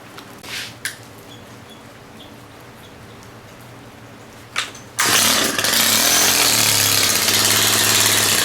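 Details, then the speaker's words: Stihl 90 handheld gas trimmer on a grimy cold start: after quiet handling it fires on the first pull and runs straight into a bright, even, steady buzz. It starts and runs normally. "Hear the difference, eh? Those things always start nice like that."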